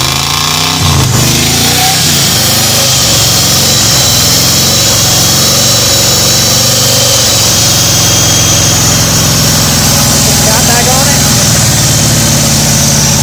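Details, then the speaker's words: 1985 Ford Bronco V8 first start in 8 months, coolant leaking into cylinders; uneven lumpy idle with irregular stumbles and hissy smoky exhaust, running on about six cylinders; needs head gaskets, possibly heads. "it don't run good but it runs well it was good shenanigans while i lasted we got it up here and tried to back it up of course it didn't have any power"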